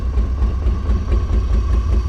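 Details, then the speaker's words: 1989 BMW 535i E34 with the M30B35 six, last registered in 2012, with the exhaust cut off: a deep, lumpy idle picks up, then stumbles and dies. Misfire; weird noise suspected from the cut exhaust. "you see how it it kind of picked up and now it's dying so the we the weird noise that we're hearing I think is related to the fact that the exhaust is cut off"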